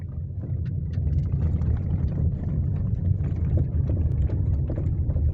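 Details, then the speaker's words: Chevrolet Onix driven slowly over potholed cobblestones: heavy road rumble with scattered dull rear suspension knocks, caused by the rear bump stop/boot coming out of its seat. "quando você passar a na rua de calçamento aí esburacada ele bate é bem ali ó"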